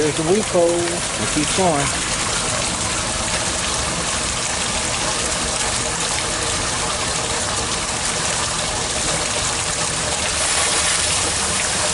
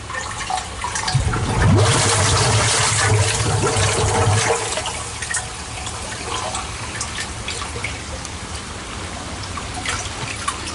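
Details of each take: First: Sump pump in a deep basin, discharging through a 2-inch pipe to a gravity transfer tank: a loud rushing gush with slurping, spluttering surges as the pump empties the basin and starts sucking air. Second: Sump pump discharge from the basin's 2-inch pipe draining into a homemade culvert-barrel gravity transfer tank with a larger outlet pipe: a steady rush of water that eases toward a trickle; flowing freely and doing its job.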